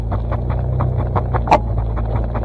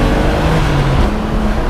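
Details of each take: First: BMW drift car with welded differential, slow turning in a parking lot: low drivetrain drone broken by rapid irregular chirps and chatter as inner tire skips. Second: BMW drift car with welded differential, daily driven; with revs up a strong steady low drone without the drivetrain chatter or pulsing it gives at low rpm; drivetrain running smoothly at higher rpm.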